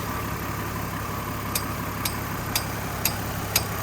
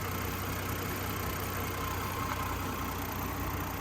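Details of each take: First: 2003 Chevy Trailblazer LTZ with sharp, steady ticks about twice a second at low idle, said to be the fan clutch. Still ticking after fan clutch replacement; owner believes the PCM needs reprogramming. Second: 2003 Chevy Trailblazer LTZ at warm idle after PCM replacement: steady, even idle with a low hum, no more fan-clutch ticking; idle now about 625–650 rpm instead of 600; normal idle.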